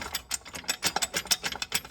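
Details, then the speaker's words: Worn primary drive clutch on a 2012 Polaris Ranger 500 turned by hand with the belt box off: sharp metallic clacking about six times a second from slack, worn sides and weights, one weight flipped out; owner had feared major engine trouble. "This clutch here has a lot of slack in it. If you look over here on the sides, it has a lot of wear on the sides of it, as well as on the weights and stuff."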